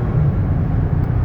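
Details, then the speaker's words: 2017 Toyota Sienna LE wheelchair van, 31,000 miles, on highway at about 67–68 mph on cruise control: low even road rumble and steady engine drone, no knocks or surging; runs straight and very smooth, normal cruise. "Steering wheel is straight, the van runs nice and straight down the highway, runs very smooth."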